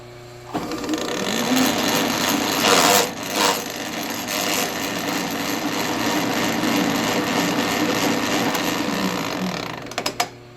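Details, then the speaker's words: Vintage Sheldon lathe with a 3-phase motor, gear train engaged; harsh, uneven clattering and rattling with no steady rhythm from worn, sloppy change gears and bushings. "as I said it's not pretty you can force things in and kind of hold it with your hand and it'll run but it just I don't think it's worth it to do any more damage than I already done on this lathe"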